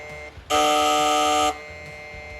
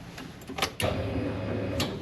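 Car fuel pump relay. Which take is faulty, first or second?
first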